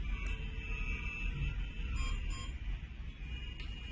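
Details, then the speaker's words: Smart home host device gives two short high beeps over a quiet room hum after pressing the CDDE button twice then holding 3 seconds, confirming the smoke detector was deleted from the host. "The 2 beeping sound that you have heard is an indication that the deletion has been successful for the smoke detector."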